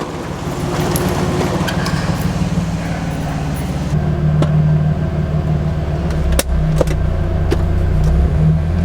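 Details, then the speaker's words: Nissan 350Z after throttle body and MAF cleaning and idle relearn, which fixed stalling above 1,500 rpm: steady idle, then clean rev-up without stumbling or cutting out, no check engine light; normal running. "it works it works i [ __ ] fixed it throttle body okay so okay so no check engine light and uh we're revving all the way up"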